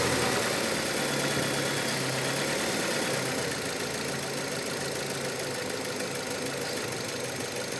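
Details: Mazda 6 GG, 2.0, automatic, 2006: on startup a fast, light, diesel-like rattle over the idle that eases as the cam phaser refills with oil, drained out through its broken valve after shutdown. Fix is replacing the phaser.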